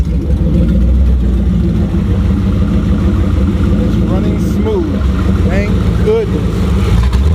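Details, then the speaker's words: Ford Crown Victoria 4.6 DOHC with low compression, on new injectors, plug wires, coils and plugs and a suspect ECU. A deep V8 idles and revs with a ragged, uneven beat; one cylinder is dead from a disconnected spark plug wire. "oh that's that now I gotta go and tweak everything it's not quite there yet but it's running all right so"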